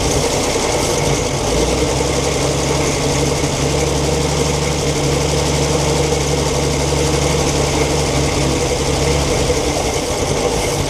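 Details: 1942 Chevrolet Blitz CMP 4WD truck, 216 six-cylinder petrol engine with Carter carburetor, gravity-fed fuel after sitting for years: even, steady idle, smooth low rumble, no knocks or misses; normal idle.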